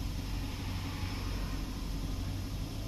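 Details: 4x4 engine idling after chemical engine-oil cleaning and a reseated spark plug that had set the service light: steady, even idle with constant low hum and hiss, no knocks, ticks or stumbles; running smoothly, no warning lights.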